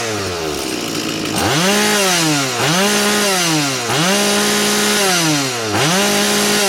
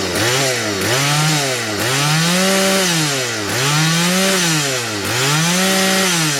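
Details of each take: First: STIHL 180 chainsaw with replaced piston, hot engine, after fixes to cure a stumble on acceleration: five quick throttle blips, revs climb sharply and hold a steady high scream at full throttle with no stumble or bog. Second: Stihl 180 chainsaw with replaced piston, warmed up, at high revs: note sags and recovers about every 1.5 seconds, smoothing when a finger covers the air intake; idle is fine. Lean hesitation, suspected from the main (high-speed) jet.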